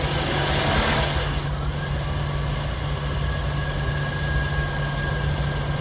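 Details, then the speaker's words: Jaguar X308 XJ8 Sovereign 4.0 V8 automatic LWB, after serpentine belt replacement (old belt caught just in time): smooth, even low idle with steady hum, no squeal, chirp or slap from the belt drive; normal idle. "Let's uh start her up. I'll have a listen to her. That's all it's all sweet as a nut now."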